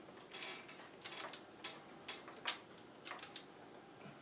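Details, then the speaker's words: Soundesign 4689 boombox cassette deck in rewind, with the deck open: sharp, irregular mechanical clicks as the auto-stop keeps trying to shut off. The deck's heads won't come up for play. "there's replay that's rewind you hear it clicking it's clicking because it's trying to shut off"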